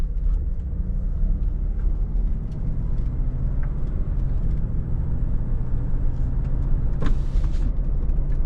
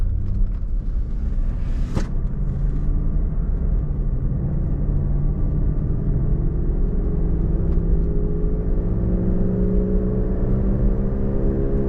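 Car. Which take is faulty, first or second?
second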